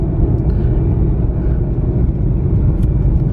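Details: Ford Mustang Shelby GT500 driving with windows up after a muffler adjustment on the lift: deep, steady road rumble with a settled exhaust; the creak previously heard when slowing down is no longer present. Normal drive.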